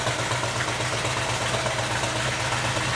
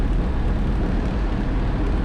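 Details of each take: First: 1968 GMC half-ton V8, first run in 20 years after a carburettor leak fix: steady, fast, even idle at about 1100 rpm, roughly 300 too high, with no knocks and high oil pressure. Vacuum leaks suspected. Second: 1968 GMC half-ton pickup V8 while driving after fresh oil change; gauge temp creeping to 200, possible overheating suspected. Deep even V8 rumble under road noise with no knocks, misses or rattles; normal running.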